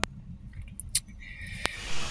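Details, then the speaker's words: Bearing-converted electric fan: low motor hum with squeaky chirps then a thin whistling hiss from a worn bearing; fix is to replace the bearing. "hising sound po ito ah bearing po ang problema pag ganyan po humuhuni so isa lang po ang dapat gawin diyan palitan po ng bearing"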